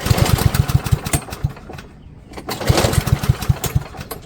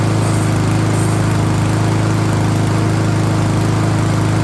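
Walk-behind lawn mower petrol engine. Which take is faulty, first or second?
first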